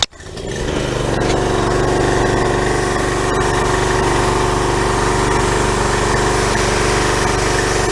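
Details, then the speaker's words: Pressure washer small engine after carburetor replacement, started on the first pull: steady, even buzz with no surging or missing. Normal running; the old carburetor was the fault, and the speed may need adjusting slightly faster. "sounds pretty good I think I think I'm can adjust it a little bit to make the motor wrong a little bit faster"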